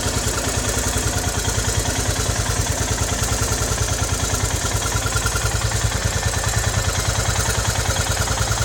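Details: Hot Royal Enfield Himalayan BS3 idling with a steady thump and a fine chirping whistle on each beat, heard only at idle and most on the right side; the defective cylinder head was replaced under warranty.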